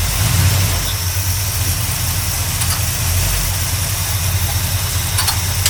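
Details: 1972 GMC Sierra Grande with replaced V8 engine, first run in 9 years, new gas tank; steady even idle, smooth low rumble, no knocks or misses; normal idle.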